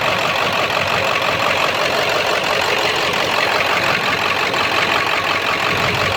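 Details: 7.3 diesel idling rough after switching from high idle to street mode: uneven, loose irregular clatter that sounds like a rod knock. Puffing blue-looking smoke smells of raw diesel, EGTs good; cause unknown.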